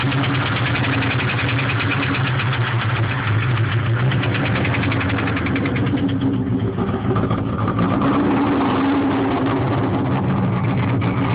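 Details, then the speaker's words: 1996 Mustang SVT Cobra with stage 2 cams, 81,000 miles: started knocking, lost all power and wouldn't idle right after cruising at 40 mph; no check engine light, only ABS light. Rough, uneven idle with heavy irregular knock; rod knock suspected, unconfirmed. "I was driving down the road the other day, passed a cop at 40. Right after I passed the cop, car started knocking, lost all power, wouldn't idle right."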